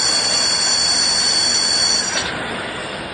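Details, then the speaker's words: Hub motor on a sine wave controller with the hall sensor wire disconnected: steady, piercing high whine with several stacked tones, cut off abruptly; hub motor electrical whine from disconnected hall sensor. "When there's a whole sensor area or the hole while it isn't properly connected, you'll hear this sound."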